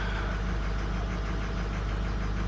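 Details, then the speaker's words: Diesel truck with 260,000 miles, cold idle: low, lumpy uneven beat with a dull knock; injectors 4 and 6 struggle when cold and clean up when warm, so replacement can wait. "so when it is cold out that number four and the number six are really struggling scene so far victim seems to be alright"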